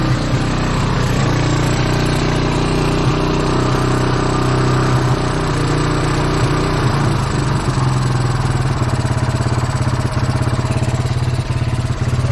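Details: Kawasaki Bayou 220 ATV, sat about 8 years, helmet-cam test ride after fuel-line and air-filter work: single-cylinder thump pulls steadily through all gears, wind in background, no stumbles or bogging; runs fine.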